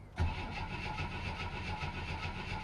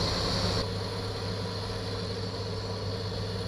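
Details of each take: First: 1964 Chevy II with points ignition and automatic choke, sat for years: starter spins the engine at an even churning rhythm but it never fires; a screwdriver test at the coil wire shows no spark. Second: 1964 Chevy II six-cylinder, sat for years, smokes a little after first revival: smooth, even low idle with a steady hum and no misses or knocks; normal idle.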